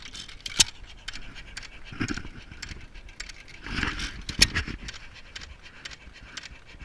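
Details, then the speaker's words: Antique hit-and-miss engine (of a Majestic and Waterloo pair) with an igniter, low-tension coil and 12V battery: irregular firing thumps with breathy puffs while coasting, panting through the held-open exhaust valve; a healthy hit-and-miss run. "It pants just like a dog in between strokes because the exhaust valve is kept open."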